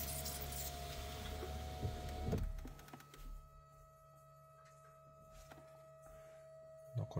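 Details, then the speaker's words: 2012 VW Passat 1.6 TDI (CAYC, 105 hp), engine off, fuel lift pump run via diagnostic basic setting test during major service: steady electric hum and thin whine of the pump operating normally. "Et là, on a contrôle de la pompe à carburant. Pompe de préalimentation. Donc voilà, ici c'est le premier qui apparaît. On clique sur voilà en cours. Donc on entend la pompe."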